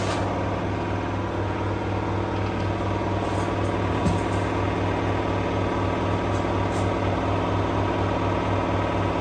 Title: LG washing machine F1222TD full speed final spin with a view of the dryer to be fixed 🤨🤨🤨